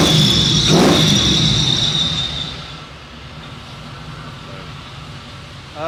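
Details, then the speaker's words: 1973 Chevy C10 with 6.0 V8 swapped in for a 454 that wiped out its bearings, Flowmaster FX mufflers, still needs tuning: loud raspy rev, no ticks or rattles, winding down to a low even idle; normal exhaust note. "These are the Flowmaster FXs, but it does get a little a little rowdy when you rev it."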